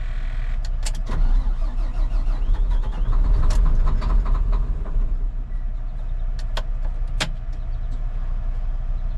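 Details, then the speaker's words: Volvo L180G wheel loader diesel, cold start, engine failure warning showing: slow, uneven labouring cranking that never catches; low compression suspected, too weak to run cold; later ran with throttle, no smoke. "Um, definitely pro I think it has low compression. It probably needs rebuilt. So, the cylinders don't have enough pressure to get uh keep it running when it's cold."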